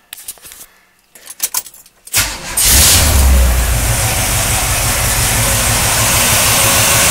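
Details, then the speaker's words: 1979 Chevrolet Camaro with a newly installed engine and new fuel pump (old one suspected leaking), fully cold, carburetor without choke. Catches at once and settles to a steady, strong idle; clean cold start. "all right started right up we got to check for a fuel leaks going want to be leaking fuel I think we're okay"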